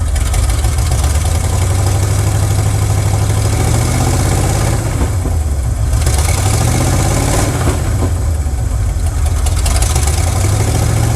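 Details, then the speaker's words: 1979 Chevrolet C10 Custom Deluxe V8 idling after a timing adjustment: rough, loping idle with uneven beats and an occasional stumble. Timing ruled out; owner next suspects fouled spark plugs; misfire cause not found. "Well, that's not it. See, it was about in time as best it could be. Just died right there. Well, something is not kosher."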